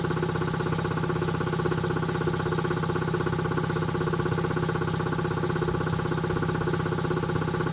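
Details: Quincy QT-5 (QT5) compressor pump, first run after rebuild: steady, even pumping beat about three strokes a second with a clean mechanical hum and no knocking; runs healthy.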